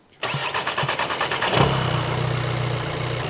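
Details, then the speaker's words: 2017 VW Transporter T5 diesel with brand new replacement engine after timing belt skipped teeth: starter cranks briefly, engine catches quickly and settles into steady, even idle with no knocks or misfires; healthy. "That is sounds a lot sweeter and will start a lot quicker."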